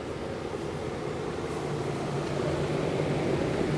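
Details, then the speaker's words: Trane XL18 18 SEER AC condenser, installed around 2001–2002, about 20 years old, with a breaker-tripping complaint; thermostat at 81°F set to 74, so second stage expected. Steady low hum and even fan whoosh with no clatter, buzz or cycling; running smoothly. "all right it's running very well and"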